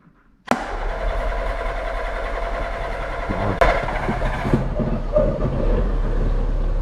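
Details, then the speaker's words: Rebuilt Citroën Saxo VTR on its first start after the rebuild, in neutral with no leaks seen. It catches straight away and settles into a steady, even idle with no knocks or misfires. Runs well. "It runs well. That's a That's a good start."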